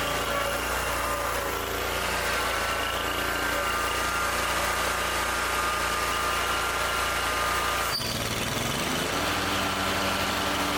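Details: Ferris zero-turn mower with a new battery, started with the blades off: steady, even small-engine idle with a smooth buzz and one brief dip, no knocks or rattles; normal idle.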